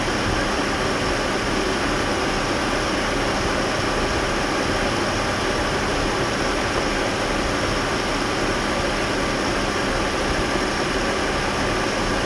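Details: Jaguar at idle: steady idle with a dry rasping rub from the clutch; exact cause unclear.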